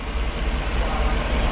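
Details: GM 5.3 V8 after a Melling oil pump upgrade and coolant refill, no leaks. Deep, steady, even idle with no knocks or ticks. The earlier rattle is gone after moving a plastic cover that touched the torque converter bolts.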